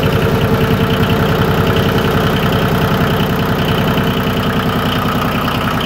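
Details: Yanmar YM2310 compact diesel tractor, recently serviced with a new starter: an even diesel chug at roughly 200 beats a minute, steady throughout with no misses or knocks; a healthy, normal idle.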